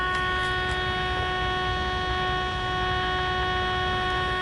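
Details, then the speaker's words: Sylvania AA5 radio on the bench, signal injected through 0.1 µF capacitor to pin 7: loud, steady buzzy tone unchanging in pitch and level; receiver swamped by far too strong test signal even at minimum generator output. "you hear that sound I am on the minimum output my attenuator cranked all the way down and we still got way too much signal"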